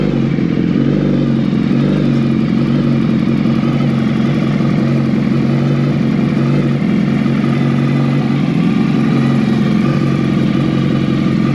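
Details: 2019 Suzuki Hayabusa during reassembly, first fire-up with new full exhaust system: even, steady idle with a firm low burble and no knocks, misses or rattles; normal idle.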